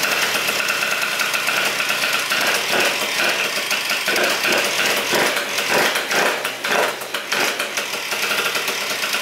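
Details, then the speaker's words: Malaguti Phantom F12 scooter with Stage 6 70cc MK2 water-cooled two-stroke, PWK carb with untested jetting: harsh, hissy sucking roar over a ragged idle; the open carb with no air filter drowns out the engine. "carb sounds crazy over here carb is wow man that's all I hear is the carb"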